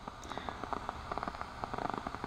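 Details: LM1875 amplifier IC running open loop at very high gain (about 90–95 dB): random sharp pops and crackles over faint hiss, no rhythm; popcorn noise from defective chip, likely silicon defects or manufacturing contamination.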